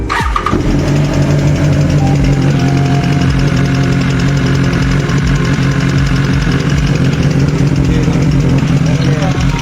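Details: 2019 BMW S1000XR inline-four, 16k odometer: right after start a fast, steady loud top-end ticking over an even idle; cause unknown, owner suggests thicker 15W50/20W50 oil for valve train but unsure if oil or faulty part.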